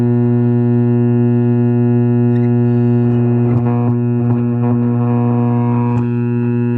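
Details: Lafayette vintage tube radio with magic eye tube, first power-up with suspect power cord before restoration: loud, steady low mains hum beneath faint station sound, diagnosed as a bad power-supply filter capacitor.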